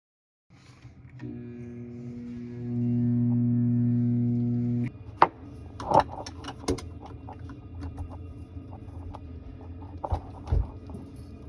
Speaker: So that disposal is cracked. That's why it's making that noise. Gotta replace it.